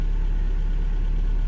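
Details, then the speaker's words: 1994 Toyota pickup, four-cylinder, 212,000 miles, previously front-end wrecked, clutch pushed in: steady even low rumble with no knocks, ticks or misses; smooth healthy idle. "runs like a top let's listen to it push in the clutch this thing just runs like a champion"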